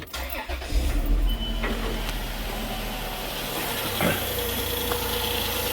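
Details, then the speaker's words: 2004 Chrysler Pacifica after replacing original alternator for a humming whirring noise; quick start settling into a smooth steady idle, nice and quiet with no whirring noise anymore. "Oh, nice and quiet now. Definitely not making that whirring noise that it was before."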